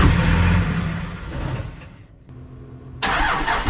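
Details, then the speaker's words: 2001 manual Cummins diesel Ram bought as a Copart salvage truck, first start on a jump starter: fires, runs rough for a second, then dies; gauge shows half a tank, owner suspects it is out of diesel or the alarm is to blame. "oh that's weird okay we gotta start but no run not maybe i have to give it some gas"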